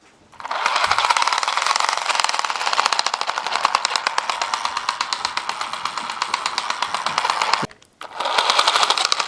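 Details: Traxxas Stampede 4x4 VXL 1/10 RC truck after rough driving: rapid, even clicking over a high motor whine, stopping and restarting with throttle; gunk and small rocks caught between the rear gearbox gear teeth, clicking gone after cleaning.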